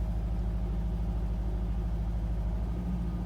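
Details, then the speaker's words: Ford Focus ST170 under restoration: a low, uneven petrol idle with shaking, rougher than expected and hunting, after an earlier misfire; left to warm up so fault codes are stored. "little bit of shaking that's rougher than I would have expected let's see if it settles down it is hunting a bit"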